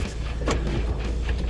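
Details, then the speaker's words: Mazda Miata with newly installed Flyin' Miata exhaust, first test drive after finding and fixing an odd sound from the install: deep even exhaust rumble while driving, no rattle or knock underneath; normal exhaust note. "test what a day and this here is my first time hearing the exhaust without that sound it's fixed it was such a big relief"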